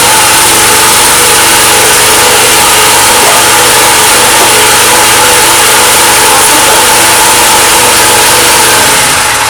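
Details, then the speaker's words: Petrol generator that kicked back the pull cord and backfired through the carb, after fitting new valves; steady, even engine roar at constant speed with no kickback pops or backfires; running normally after valve replacement. "супер все працює все гарно"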